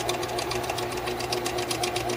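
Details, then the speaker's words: Apparently unused Darex V390 drill sharpener whose motor won't start when switched on but spins if the machine is lifted; weak hum with faint rapid ticking and no clean spin-up; owner suspects a defective motor. "there's a little issue with the motor starting you want to start it up when you turn it on the motor doesn't want to start up"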